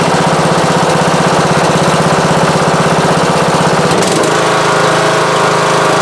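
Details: Riding lawn mower after a week-long rebuild (belts, charging system, magneto, battery, carburetor and more; starter, valve cover and leaking exhaust not replaced) runs with an even, steady beat and no knocks, settling smoother and lower; healthy finished result.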